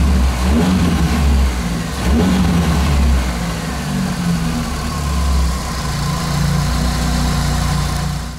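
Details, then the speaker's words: Engine after a diesel-fuel (solarka) flush to cure hydraulic lifter tapping, run 10+ minutes: idles and revs up and back down with no top-end tapping; lifter noise seems gone, normal running. "уже прошло больше 10 мин двигатель стал работать он не справа он тоже спасательные работы гидриков уже вроде бы пропал он не появляется работает над на"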